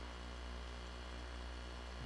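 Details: Macintosh SE compact Mac after inspection: quiet steady low hum with faint fan hiss, no clicks or whine; 12V rail slightly high, boots to flashing question mark; normal running hum.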